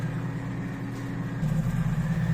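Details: Washing machine that won't drain or spin, still full of water: steady low electric hum of the drain pump running without water moving; impeller found broken, pump replaced – broken drain pump impeller.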